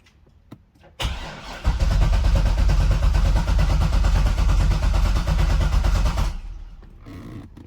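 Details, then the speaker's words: C6 Corvette cranks steadily about two beats a second for five seconds without firing after swapping AC compressor and fuel pump relays; no fuel at fuel rail Schrader valve; crank no start, cause suspected not confirmed. "Ended up just cranking the car over real quick, and it just keeps cranking, doesn't fire over like it was doing before."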